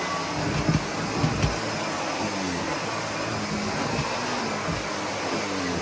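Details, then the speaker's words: Sebo Felix upright vacuum picking up a big pile of pet fur: a steady rushing motor roar turns strained and laboured, with a few thumps from pickup. The bag is full and tightly packed, so suction has dropped dramatically. "Okay, now I think the bag is full because the suction has dropped down dramatically and I could hear the motor straining."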